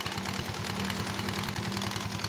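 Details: Honda Vario carburetor scooter, recently rebuilt, leaking oil: loose metallic clatter over an uneven idle from the belt-drive side; worn, sloppy roller-housing bushing in the CVT.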